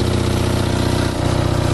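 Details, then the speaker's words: Low-hour Onan 5.0 CCK-4R 5kW three-phase 120/208V dual-fuel genset, small muffler, just started with no load: steady, low, even drone with fast regular firing, no misses or hunting. Reading 120V, 61Hz; runs healthy. "Now there's a muffler. It's got just a small muffler, and you can quiet it down greatly if you use the bigger muffler."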